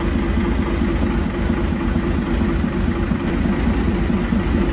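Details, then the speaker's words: International wheel loader diesel, sat 8 years, first run after pump work: heavy idle with a lumpy, uneven beat and coarse rattle, a little smoky; owner suspects injection timing slightly off, air possibly still purging. "it's also quite possible that I had the timing off probably no it runs but I think the timing's a little off"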